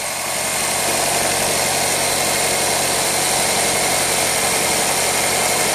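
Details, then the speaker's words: Toyota Camry 2.2L 5S-FE I4 after timing belt tension reset, with new belt, water pump, seals and pulleys; steady even idle hum, belt now only flutters slightly, no ticking or slapping; normal idle. "yeah much better look for the belt what's going up and down like this over here now it's only going like this it's like a flutter"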